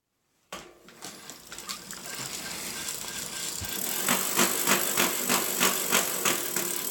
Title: Giant Talon 4 2014 freehub/hub issue (Grinding Noise)